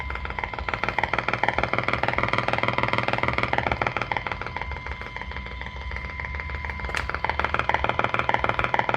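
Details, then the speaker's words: 1946-48 Sparton model 6-26 radio during alignment, phone held near speaker; sharp rapid popping about three per second, interference from phone display that stops when display turned off, not a radio fault. "it's a matter of fact that popping sound doesn't disappear until I turn off uh off my display"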